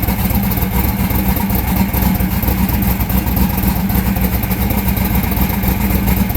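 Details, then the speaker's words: Austin's car during tuning, one side showing no heat on temperature check, front cylinder weaker: loud choppy uneven idle with irregular low thumps; misfire at idle. "Front one ain't going as good as the rest of them either."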